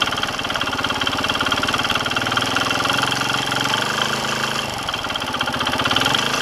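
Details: Kawasaki KSR110 single at idle. A light, quick tick rides each firing beat from the top end; after a new cam chain tensioner cured the earlier rattle, a new noise appeared from the piston/head area after riding. Cause unconfirmed.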